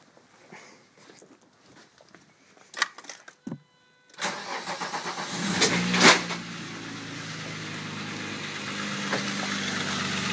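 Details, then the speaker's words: 1997 VW Passat VR6 (AAA), timing chains and clutch reportedly just replaced: cranks, catches, raspy puffing exhaust from loose manifolds leaking; chains quiet, idle slightly lumpy, needs ignition wires; serpentine belt off. "but a little exhausted because i have the manifolds loose but uh timing chains quiet it's a little lumpy it needs a set of ignition wires"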